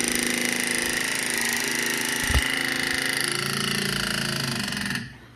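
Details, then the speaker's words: Honda Odyssey FL250 ATV under restoration: on key-on, a steady high buzz for about five seconds then a clean cutoff, the fuel pump pressurizing the fuel lines normally. "That noise you heard was the fuel pump pressurizing the fuel lines."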